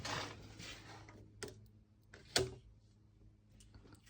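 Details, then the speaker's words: UF100 milling machine converted from 400V to 230V single-phase, first power-up after correcting the 0V/24V control wiring: two sharp, crisp clacks as the contactor for the XY axis line pulls in cleanly; normal contactor operation. "Ah, là on entend bien le contacteur claquer."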